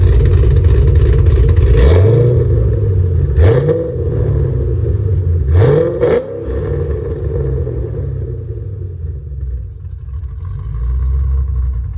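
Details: Ford Mustang GT 3-valve 4.6 V8 with new engine, clutch, flywheel and headers, heard from a distance: deep rumble with several clean rev sweeps and smooth gear changes, no misfire or rattle; normal exhaust note.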